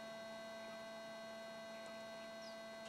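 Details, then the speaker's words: Metal detector with cell phone turned off: faint steady hum with a few fixed tones and no warbling, chirping or falsing; runs stable, since phones cause false signals and poor ground balance. "perfectly stable now even if you can't hear it in this video"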